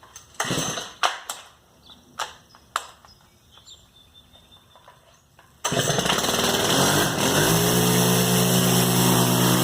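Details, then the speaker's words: Stihl FS110R trimmer that bogged and wouldn't rev, after fitting a replacement carburetor; choke start clicks and a pull, fires on the first pull and settles into a steady, even buzz without bogging: normal start and run. "put it in the start position choke it all right let's see if it worked all right fired on the first pool"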